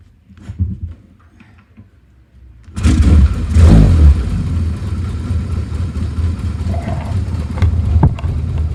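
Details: Frame-off rebuilt 1971 Yamaha XS650 XS1B (rebored second over, new rings, cam chain, rebuilt carbs, new headers and mufflers; 31,000 indicated, true miles unknown), started with choke: kick start catches into a steady, even twin beat with a throttle blip; runs and idles cleanly.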